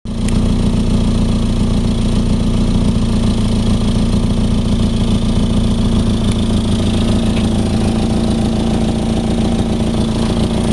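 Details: Nissan 240SX with KA24DE engine, 248/232 cams, intake, header, 3" resonated test pipe and 3" XS Power duals: loud, throaty idle with a rough puffing pulse underneath from an exhaust leak.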